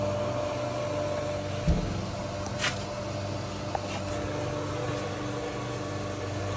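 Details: Motel pool pump/filter system switched to the vacuum hose line for vacuuming: steady pump hum with a thin, hollow tone and no water load, pump has lost prime and runs air-bound while air is bled at the fill area.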